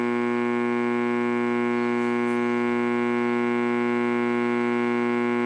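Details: Radio audio amplifier on the bench, volume fully up with no input, powered from the wall-wart supply instead of the quiet transformer/LM-regulator supply: constant steady buzzy hum; hum blamed on the wall-wart power supply.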